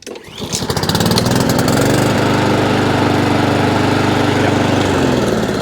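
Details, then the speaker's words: Honda IZY 19-inch petrol lawnmower, serviced after carburettor fuel-leak repair, restart test once warmed up a touch; catches on first pull within a second and settles straight into steady, even run with no misses: normal warm start. "yeah happy with that and let's make sure it will start off its own back now it's warmed up a touch"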